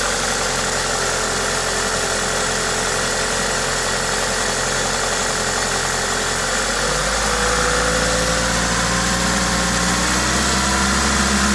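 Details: Toyota 2ZZ-GE four-cylinder at idle with an aftermarket induction kit: steady, even idle with a strong intake hiss from the kit and a brief speed dip midway; normal engine noise.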